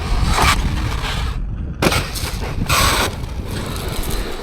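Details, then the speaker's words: Traxxas Maxx V2 with VXL6S ESC, stock 4S motor, stock-ratio hardened steel gears and bigger Backflip LP wheels and tyres: harsh scraping grind in bursts as the drivetrain spins. A motor mount screw came out, so the pinion moved away from the spur and lost mesh. "It's the gears. So whenever I put bigger wheels on or bigger tyres, it causes issues. And that sound, if you listen, is my pinion has moved away from the spur."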